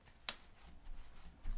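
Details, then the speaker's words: Cane Creek Kitsuma coil rear shock with 400 lb spring. A single sharp metallic top-out clunk as the rear cycles, persisting despite slower rebound settings. Owner suspects air in the damper from a poor bleed, or a design flaw. "but it does the same thing it does this clunk at the top of the travel site that clunk that topping out clunk"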